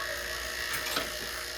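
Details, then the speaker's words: Refrigerator refrigerant system on vacuum pump, valve just opened: loud, harsh buzzing rattle as the pump labours; air and moisture still in the system, note should deepen as vacuum pulls down. "to open this up you hear the noise that's still air and moisture and stuff in the system"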